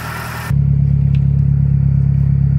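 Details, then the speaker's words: 2009 Mazdaspeed3, stock, parked about two years, after replacing spark plugs: brief noisy popping start, then a steady smooth idle running a little high with no knocking; normal idle. "idling a little high that sounds way better yeah there was no knocking at idle"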